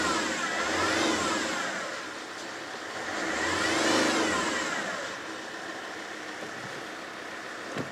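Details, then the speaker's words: Alfa Romeo 159 2.4 JTDm five-cylinder turbo diesel, abandoned in a field nearly 5 years after a timing belt problem, now being driven before MOT retest: revs swell smoothly and drop back to steady idle, no big smoke cloud; healthy. "And I've I can sit here and I can rev it and you won't see a big cloud of smoke"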